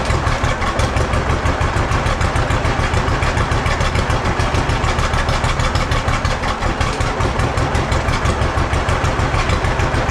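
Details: Old John Deere B tractor just started after carburetor float check: slow thudding idle about 200 beats a minute, wavering unevenly; runs a little rough, owner wants it evened out.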